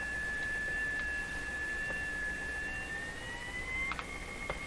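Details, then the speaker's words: Jewel Model 505 vacuum tube clock-radio during IF alignment at 455: steady high whistle over faint hiss, drifting slightly higher near the end; oscillation squeal, signal feeding from IF output back to input, suspected capacitor fault, not confirmed. "Wow, this is just screaming an oscillation. So something is not, something is conveying a signal from the output of the IF back to the input somewhere."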